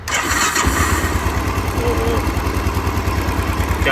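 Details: Motorcycle engine after teardown and cleaning of internals and oil screen for engine noise/missing complaint, run with a fuel tank fitted checking oil pressure; steady even thumping idle, no knocks or rattles.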